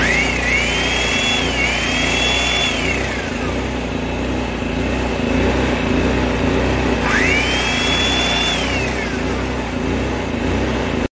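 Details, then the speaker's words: Generator started for the first time in six years after spark and carb checks: steady, even drone with no misses or knocks; runs properly; normal running. "guys turns out nothing's wrong with this guy I put fuel in it it fires right up"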